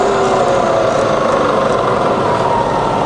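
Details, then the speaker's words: Fully rebuilt Bridgeport milling machine, variable speed head, spindle in high range stepped from 9000 to 2000, 1000 and 450 rpm, then about 1000 rpm in reverse; steady even hum, smooth mid-pitched whir with faint tones, no knocks or grinding; normal spindle running. "okay so let's go all the way to the top that's to 9000 that's 2,000 back down to a thousand and then on to 450 okay reverse now [Music] thousand in Reverse mm 2005"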